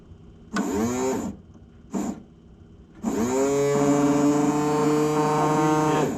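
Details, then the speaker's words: Corvette windshield washer pump, first tested with full reservoir: two short buzzes then a steady, even electric motor whine for about three seconds holding pitch; pump works normally. "It works. Who knew? I have windshield wipers, or a windshield wiper pump that works."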